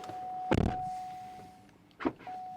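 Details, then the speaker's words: Cadillac CTS-V coupe (Lingenfelter 630hp) door release that wouldn't open inside or out, tested: steady chime, sharp latch clunk and thump as the door pops open; the release now works. "Oh, look at that. Sometimes it works out easy like that, sometimes it doesn't."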